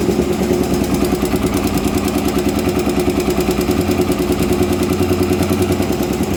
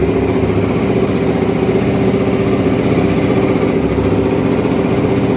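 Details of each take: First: Honda Twister 250 single at idle: steady rattling tap about three per second from the top end; loose cylinder head bolts, with a loose cam chain also considered. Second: Honda Twister 250 single-cylinder, first start after repairing top-end noise (suspected loose cam chain, head bolt threads redone): steady even idle thump, no ticking or knocking; normal idle.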